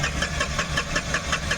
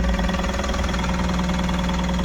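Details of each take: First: Tata Ace Gold BS-6 diesel that cranks but won't start: the starter turns it over steadily at about five beats a second but it never fires; scan shows code P0335 crank sensor no signal. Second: Tata Ace Gold BS-6 diesel, restarted: smooth, even idle with no knocks or misfires, then a clean shutdown; starting problem fixed; normal idle.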